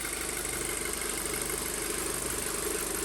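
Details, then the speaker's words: 2007 Audi A4 2.0 FSI, 141K miles, after rebuild and misfire fix: steady idle just below 1000 rpm, slightly high with a little shimmy, no misfires or check engine lights, possibly ECU recalibrating; normal idle. "everything checks out no check engine lights kind of a higher revving sound that i am used to you can tell there's a little bit of a shimmy but i'm not getting any misfires on the engine which is great"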